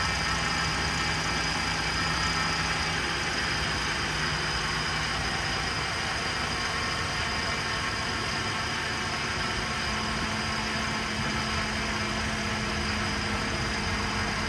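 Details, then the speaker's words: GM 3.6L engine, first start after timing chain replacement: a noise while the oil takes time to come up, then a steady even idle with a faint whirr and no knocks. "It takes a little while for the oil to come up. That's why it makes that noise."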